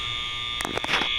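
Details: School overfill alarms heard; steady, piercing electronic buzz at one pitch with brief handling bumps. Fire panel showed a shunt trip monitor supervisory, believed unrelated to fire alarm system; cause not yet known.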